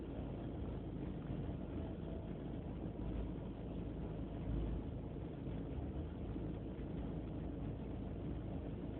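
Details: BMW E36 318ti with a rough idle; replacing the idle control valve helped only slightly: a low, uneven idle rumble that keeps wavering instead of settling, cause not yet found.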